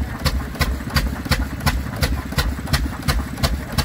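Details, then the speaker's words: 1929 stationary engine driving a 3-inch centrifugal pump, one of only 540 made: slow, even chuffing just under three firings a second, crisp steady strokes under pump load; healthy running. "Listen to that. She did sound nice. She did sound nice. There you go, she's away now."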